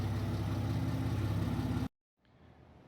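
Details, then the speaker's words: Car with a Megasquirt ECU: a heavy, steady low boom under a rough burble fills the cabin. The exhaust drones too loudly, and a resonator is to be added at the muffler shop. "I just came back from my first run on the highway with this car and it's droning way too much way too noisy"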